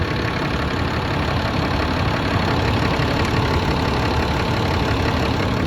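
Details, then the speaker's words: 2010 Dodge Ram 3500, about 100,000 miles, after tightening fitting to fix hissing under dash (power steering suspected): even steady idle, no hiss or whistle; normal idle. "Okay. The noise is gone. See that? The noise is gone."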